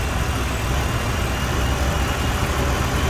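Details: 2006 Jeep Commander 4.7L just after water pump replacement, idling while cooling system burps air out; steady low even idle with light hiss on top, no knocks or squeals; owner notes an exhaust manifold leak; engine running normally.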